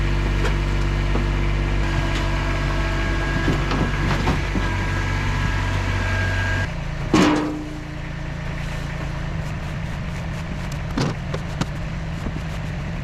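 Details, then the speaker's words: Mercedes-Benz Ponton 190 four-cylinder, sitting for many years, first run with no coolant in the system, water pump spinning, aluminum fan: steady, even, smooth low hum with no misses or knocks, then a single clunk. Normal idle. "this is a really smooth for Banger unbelievable"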